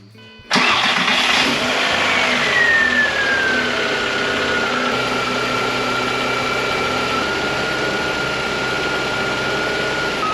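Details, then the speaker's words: 1999 VW Golf Mk4 petrol engine after replacing timing belt and water pump (the squeak was the pump), refilled with G40 coolant: cranks, starts cleanly and idles smoothly with the squeak gone; hundreds of miles since, runs flawlessly. "I am happy to say that the squeak is gone and I've put hundreds of miles on it since and it runs flawlessly so I am very happy"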